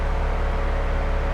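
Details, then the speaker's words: BMW 135i under restoration, running after new Gates belt installed: smooth, even low engine drone with steady pulse, no squeal, chirp or ticking from belt drive; running normally. "oh hell yeah she sounds good let's see what we're doing up here though"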